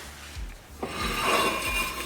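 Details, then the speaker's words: 2003 Honda Accord V6 manual after new pads, rotors and fluid, re-greased slider pins and cleaned pad hardware: a soft whooshing rub rising and fading as the rotor is spun by hand, no grinding, so it turns freely. "And all you're hearing there is the rotor spinning, look at that."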